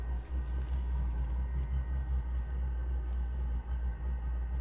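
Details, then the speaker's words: Propex propane tent heater built into a portable box, running from a power bank: the startup sequence first circulates air only, then combustion lights and it makes hot air; a low, steady rumbling roar with mild flutter and no popping or surging, meaning normal burner combustion. "As it goes through its startup sequence, it's just circulating air. And then you'll hear the combustion start here in a little bit. There it goes. Now it's creating hot air."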